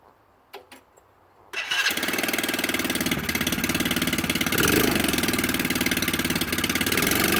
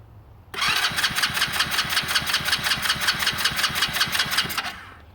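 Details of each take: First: Hammerhead 110cc go kart that sat almost a year, started after a battery charge, carburetor cleaning and a non-new air filter: quiet, then the single catches and settles into a quick, steady, even putter; starts and idles fine. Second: Hammerhead 110cc go-kart sat nearly a year: steady starter cranking for about four seconds, never fires despite confirmed spark and cleaned plug; carburetor to be pulled and cleaned, suspected gummed by stale fuel.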